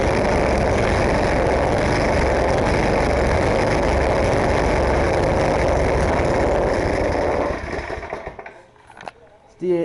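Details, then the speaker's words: 10 hp snowblower engine at full throttle, no choke: loud rapid buzz holds, then stumbles and fades unevenly; sputtering, also stalls on half or full choke at half throttle, cause unknown. "just starts like sputtering or whatever you call it when this goes that's what it does I don't know why"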